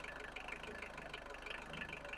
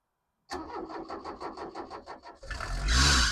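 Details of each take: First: 1991 Vauxhall Astra van restarted after about 10 years sitting, running off a gallon of fuel because the tank line is blocked (pickup sock suspected): steady even diesel clatter at idle with regular firing pulses and no knocks or misses; running normally. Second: 1991 Vauxhall Astra van sitting in a field for years, cranked on a freshly charged battery with the air box refitted; even starter cranking at about four or five beats a second, then a brief surge that fades; diesel cranks but won't catch.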